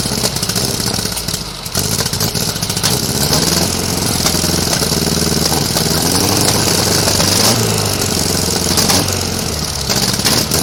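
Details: 1956 VW Beetle flat-four on first start after carburetor cleaning, chilly day, balance-tube vacuum leak fixed, left carb leaking from the accelerator pump. It runs lumpy, loping and hunting instead of settling: rough running from twin carburetors out of sync.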